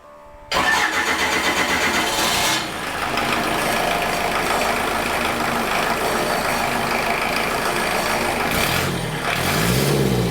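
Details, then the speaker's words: Rebuilt Kubota V2203 diesel first start on the dyno, before RPM, fuel screw and idle adjustments: fires after short crank, settles into slightly uneven lumpy idle with an early dip; air still in the fuel system. "It'll have some air in it for a while, but"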